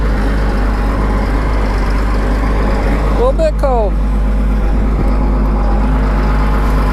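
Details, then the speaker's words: 2000 Cat 563D ex-USMC vibratory roller, Cat 3116 diesel, 25 original hours, warming after cold start: steady low even idle, no misses or knocks; normal warm-up. "all right we're going to let that dude warm up a couple minutes and we'll drive her in"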